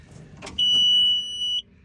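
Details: Takeuchi machine after fuel leak repair: single steady high beep lasting about a second after cranking, a dash warning alarm; engine out of fuel and unprimed after draining, cause of alarm not confirmed.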